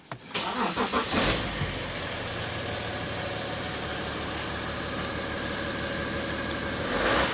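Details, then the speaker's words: 2012 BMW X5 diesel, M57 engine, after EGR cooler repair and BMW coolant refill: short crank, prompt start into smooth steady idle with a light blip and slight turbo sound; no fault codes. "Does that sound normal? >> Yeah. >> Okay. Any codes? >> No. >> So, we fixed it."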